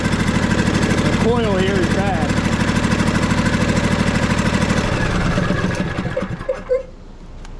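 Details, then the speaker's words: John Deere D130 riding mower twin running: coarse, lumpy chugging about three pulses a second, then dies away; firing on one cylinder with no spark on the other, coil suspected bad. "so as it's running another thing I can tell is it sounds like it's running on one cylinder no spark on this side whatsoever"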